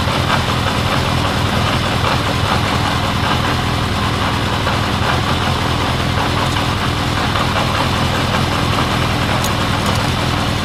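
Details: 1979 Honda CB750 K four-cylinder after carb cleaning, rebuild, bench sync, then vacuum-gauge carb sync and idle knob adjustment: even, steady idle with slight cadence, no stumbles; sync had been out, now smoother; normal idle.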